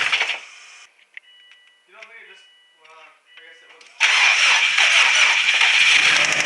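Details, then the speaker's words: Subaru WRX STi: starts and idles roughly with a severe fast, sharp, even ticking, heard all over the engine through a stethoscope, then keeps losing rpm and dying; source unconfirmed, compression test pending. "it starts up okay it seems like it idles okay it's got a severe ticking noise in it and then it keeps losing rpm and dying"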